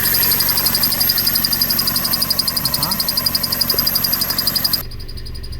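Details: 2001 Toyota Corolla 1.8 at idle with clutch pedal pressed: fast, fairly regular rattle and high whirring tone that cuts out suddenly; clutch fault, later shown with heavy burrs/debris on clutch parts.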